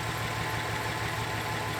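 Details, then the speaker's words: 2007 GMC Sierra work truck, a neglected auction vehicle, idling on the trailer: a steady low V8 rumble with an even beat and no knocks or misses. Healthy idle, though the check engine light is on. "Sounds pretty good. So let's get it down to the shop, get it off the trailer and get it inside."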